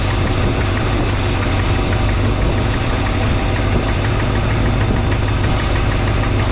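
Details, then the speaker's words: 1962 Chevrolet C10, just started and cold, thermostat not yet open, idle raised with timing and carburetor being adjusted: deep, uneven loping rumble at idle; running rough, owner suspects one or two bad old spark plugs. "I still haven't changed the spark plugs, so don't be too alarmed about it running rough. Those spark plugs are probably, maybe one or two of them are really bad."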